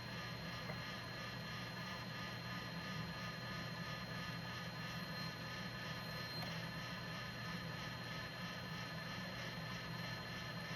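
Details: JVC GR-SXM330 Super VHS-C camcorder after transport rebuild (fix for clicking/E03 error): long rewind of a test tape with quiet steady motor hum and low drone, no clicking; normal rewind.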